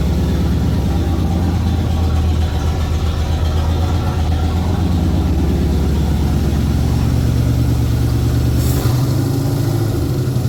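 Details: 1981 Ford Bronco 351 V8 first running after no-start: timing confirmed, fuel added, carb refitted on homemade adapter plate after backfire lifted it; deep, steady low idle burble, even beat, no misfires; small resonator muffler and large tailpipe.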